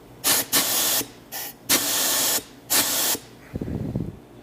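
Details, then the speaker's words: Truck air brake treadle valve being cleaned, with shop air at 175 PSI: sharp bursts of loud high-pitched hissing come and go, as air blows out of a fitting that is not sealed off, probably because hydraulic caps don't work for this fitting. "I have a leak somewhere I think it's still leaking out of this fitting right here yeah we're blowing air out of this this fitting here is not sealed off"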